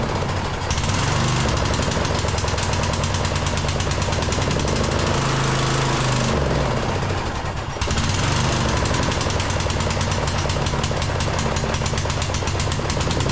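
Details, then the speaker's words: Briggs engine on a Troy-Bilt Bronco lawn tractor in snow and cold, after muffler fix and new spark plug: rapid, fairly even chug that sags briefly and runs only on choke; suggests clogged carburetor. "well it actually sounds like it's running better the muffler is definitely fixed uh but it's only running on choke so that's a little bit of a development"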